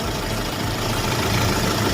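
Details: Diesel engine idling with a rough, rapid knock and black smoke; injector back-leak check shows excessive return flow, so the injectors are faulty and need replacing.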